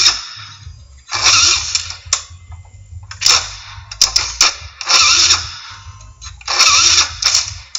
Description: Scooter wont start please help me fix it !!